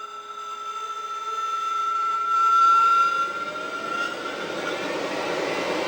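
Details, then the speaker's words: HPEVS AC-50 induction motor on bench with Curtis 1239-8501 144V 500A controller: thin steady tones over rising hum during spin-up, gone at speed; owner suspects electronic controller noise, not bearings, since motor is silent on old 96V controller; motor whine at spin-up. "Once it gets up to speed, that noise goes away. But, it's that starting that kind of bothersome."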